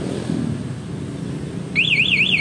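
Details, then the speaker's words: Honda Vario 125 LED 2017 scooter with newly installed MP one-way alarm, set in silent mode: a loud high warbling siren sweeps up and down about four times a second when the ignition is switched on, triggering the alarm. "Nah dia cuma Gedong enggak bunyi kalau mau di Thailand tapi kalau kontaknya ini dia bunyi"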